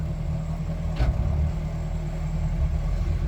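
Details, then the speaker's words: Mercury outboard on a Boston Whaler, one of twin engines: steady idle, then one firm clunk shifting into forward while the engine keeps running evenly. Normal gear shift. "forward we're shifting good everything works it looks like"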